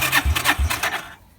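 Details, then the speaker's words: Half-scale NASCAR in cold weather with battery swapped back in; three slow heavy starter strokes about a third of a second apart, then dies without firing; battery suspected low on charge. "so I guess that battery was a little bit low and just didn't have enough juice"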